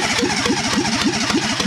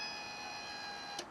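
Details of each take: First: Fiat Panda 4x4 project converted from carburettor to injection: steady fast cranking for nearly ten seconds with no firing; owner concludes the injectors are not firing, so the engine gets no fuel. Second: Fiat Panda 4x4 project with injectors not firing, ignition on. A steady thin electric whine for about a second, then cutoff; the fuel pump priming and filling the injection rail normally.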